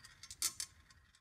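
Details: Congreve clock after oiling the pivots and adjusting the escapement, leveled with shims so the ball rolls, cycling every 15 seconds: light, crisp ticks at an uneven pace in a quiet room, no rubbing or scraping; running normally.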